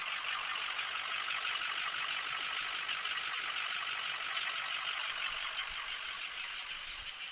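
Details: Ford 6.0 Powerstroke diesel just after startup, cold water and oil temperature, after changing the turbo oil feed tube and cleaning the EGR: fine, even diesel clatter at steady idle with no misses or hunting, warming up. Normal idle.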